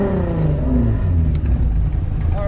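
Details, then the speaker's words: Drift car at the track, flex pipe broken; loud, raspy deep exhaust drone rising and falling with revs, far louder than before, an exhaust leak from the broken flex pipe. "so much louder now. Yeah, the flex pipe's broke."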